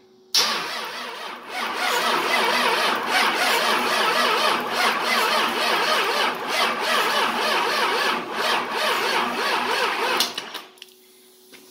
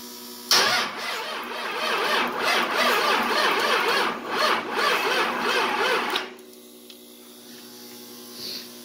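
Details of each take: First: 24V Cummins diesel, standalone hot-wired ECM/PCM, first start on frame: lift pump heard first, then starter churns steadily about three and a half beats a second for ten seconds, never fires. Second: 24V Cummins diesel with VP44 pump, standalone wiring, first start attempt: uneven starter cranking about six seconds without starting, then quiet steady electric buzz of the lift pump priming fuel.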